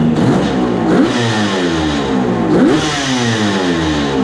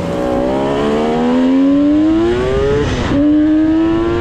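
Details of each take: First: 1974 Kawasaki H1 Mach III two-stroke triple with H2 750cc engine, warmed up, idling around 1,500 rpm: uneven low idle with a hollow knock every second or two, sounding like crank bearing noise; heavy smoke, owner suspects leaking right crank seal. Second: 1974 Kawasaki H1 Mach III fitted with an H2 750cc two-stroke triple, revved after removing restricted air filters that caused bogging: crisp, clean revs climbing and dropping through several pulls with no hesitation or bog; runs strong.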